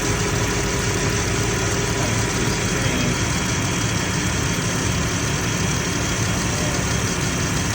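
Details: 2018 Dodge Grand Caravan 3.6 after engine oil cooler replacement, idling to warm up and bleed coolant: smooth even idle, steady low hum, no knocks or ticks; normal idle.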